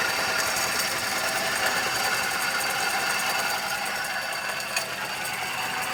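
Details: 2012 Suzuki Celerio engine: fast, fairly even metallic tapping at roughly three a second over a quiet engine; abnormal top-end tick, cause undetermined.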